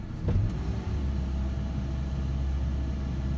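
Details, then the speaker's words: Ford Ranger with HVAC on: after a quick throttle jab the engine hangs at a steady high idle, foot off the pedal, throttle reading around 16.5%; owner suspects the throttle position sensor, not confirmed. "again foot is off the gas pedal and she is just hanging there so she's acting kind of weird"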